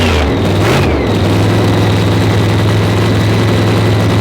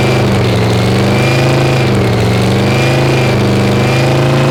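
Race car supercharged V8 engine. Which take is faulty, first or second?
second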